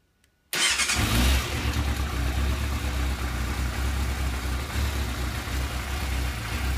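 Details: Yamaha YZF600R Thundercat inline-four starts cold and settles smooth with no ticking after the cam chain tensioner was removed and cleaned.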